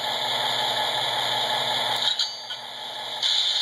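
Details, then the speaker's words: S gauge American Flyer Alco PA/PB locomotive converted to an MTH PS2 kit with coil couplers: a faint mechanical click and buzz over steady hiss as the electronic coupler uncouples; normal coupler actuation. "this has a coupler it's electronic coupler I can actually uncouple this thing if you watch that do you hear that noise that's the coupler"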